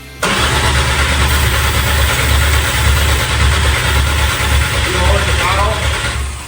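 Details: MK1 VW Rabbit with a swapped 07K 2.5L five-cylinder engine, cranked while starting spray goes into the intake. The starter churns steady low compression pulses for about six seconds and it never fires. Crank, no start.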